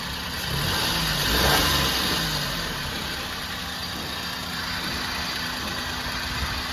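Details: 2013 Maruti Alto 800 at idle: steady rough rattly hum with faint low drone that disappears when clutch pedal is pressed; clutch noise from oil-contaminated clutch, input and axle oil seals and clutch assembly, release bearing replaced.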